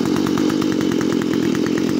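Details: Stihl FS45 two-stroke trimmer, previously wouldn't start: after removing a part with a 5/8 socket, it buzzes at high revs with a quick, even firing beat, no misses, running cleanly.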